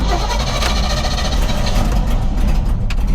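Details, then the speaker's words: Old white pickup truck used as a stand-in daily driver, belts previously squealing (belt dressing applied); fires up right away and settles into a steady, even low rumble with no misses or stumble, a healthy start. "Starts right up."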